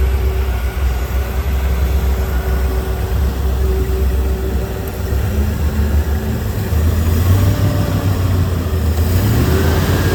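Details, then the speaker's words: 1986 Ski Nautique's 351 Windsor marine V8, first start at the marina after new fuel pump, ignition and many new parts, gives a deep even burble with a brief rev blip; sounds healthy. "engine and we are going to fire it up for the first time and see what she sounds like oh beautiful sound"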